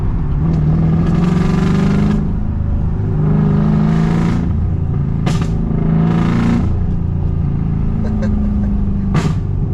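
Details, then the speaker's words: BMW E34 540i 6-speed M60B40 V8 with a chewed (burnt) valve, cats and muffler removed, under hard revving: loud raspy exhaust rising and falling with uneven, lumpy beat; one dead cylinder yet still pulls strongly. "What's even better is how amazing BMW engines are. Is this thing could chew through a valve and still absolutely rip."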